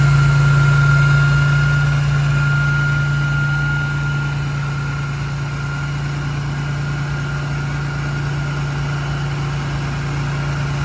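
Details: BMW E46 M3 S54 engine idling just after a VANOS rebuild (Beisan rebuilt VANOS and upgraded exhaust sprocket, new oil pump disc, exhaust upper chain guide). Steady, even idle, smooth low hum, slight settling at first, no rattle or misfire: healthy idle.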